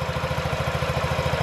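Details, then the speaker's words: 2017 Honda Ruckus NPS50 50cc four-stroke scooter, idle set just under 2000 rpm with inductive tachometer: quick, even single-cylinder pulses, steady with no misses; normal idle, possibly earlier issue was spark plug. "sounds good sounds like what it sounded new you want your idol to be as low as you can get it without a knife and it's steady"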